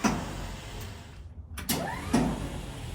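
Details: 1952 Dodge Wayfarer that won't move forward or backward: short bursts of a rising electric whir spinning freely with no cranking beat. Possible causes listed are battery, starter, timing, engine ground or worn flywheel teeth. Starter spinning without engaging.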